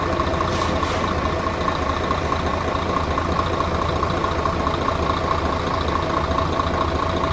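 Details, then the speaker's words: Mercedes Actros OM501 diesel truck, first start after cylinder head repair for intake valve recession and valve clearance adjustment; even, steady idle with ordinary injector clatter, no knocks or misses; normal idle, engine running healthy. "mọi thứ sẽ khởi động tốt Vâng, có vẻ như nó đang hoạt động, vâng."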